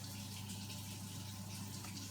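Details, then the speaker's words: Vaillant boiler with an intermittent fault, after setting parameter D19 from 2 to 3 to raise pump speed: steady low hum with a faint watery rush underneath, no rattle or grinding; pump running normally. "Speed up now. We should hear that pump now run after it stops this."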